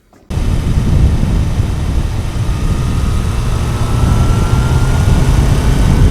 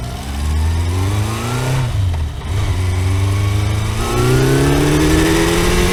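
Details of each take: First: Kawasaki four-cylinder motorcycle after fixing a cylinder 1 misfire, suspected from disturbed ignition leads: revs up smoothly and pulls on all cylinders, slightly rough and still needing fine tuning; running as it should, normal running. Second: Kawasaki four-cylinder motorcycle after reassembly, revving up and settling rough and uneven: not firing on all four, cylinder 1 found cold and dead, owner suspects ignition leads disturbed when coils were removed; single-cylinder misfire.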